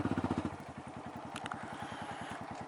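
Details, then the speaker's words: Honda MSX 125cc manual motorcycle, throttle held fixed at about 3,000–4,000 rpm while practicing clutch release; quiet, even exhaust pulses, roughly twelve a second, holding steady, engine running smoothly. "당기면 3,000, 4,000 정도 의 토크 가 나옵니다 . 아 , 시끄럽네 요 ."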